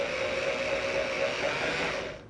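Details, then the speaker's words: Engine being restarted after 15 years of storage, remote oil pump pre-oiling: steady electric hum with whooshing rush, then cuts off; hose expanding confirms good oil pressure building. "so i know i'm getting good pressure behind it"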